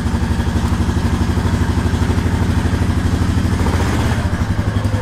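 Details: Honda Rancher ATV in first gear after the brake switch replacement; before, it puttered and tried to die in gear. A steady, even low thrum firing cleanly with no stumbling, so it runs smooth.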